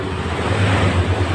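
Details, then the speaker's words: 2015 Honda Scoopy scooter after replacing the part scored by oil starvation: short burst of steady, low even hum with no knocking or rattle; engine now smooth. "Ini motor sudah nonton sudah hidup dan suaranya sudah halus"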